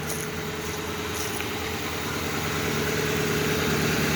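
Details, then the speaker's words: Ford Explorer sold as having a bad engine noise, started after a badly chewed-up belt was found and removed and a battery fitted; the engine settles into a smooth, even idle with no tick, knock or squeal, so the motor sounds fine. "This motor sounds fine. There's no noise in the motor,"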